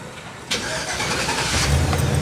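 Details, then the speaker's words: 2008 GMC Savana van after its starter was replaced to cure grinding: a brief, clean crank quickly catches into a steady idle, with no more grinding noise. "ooh no more grinding noise doesn't it feel good to fix"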